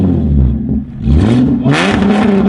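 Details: De-catted Holden Commodore SV6 with rear mufflers removed: loud raw exhaust rises on a rev then falls with sharp crackles and pops on overrun and downshifts; straight-piped exhaust crackle.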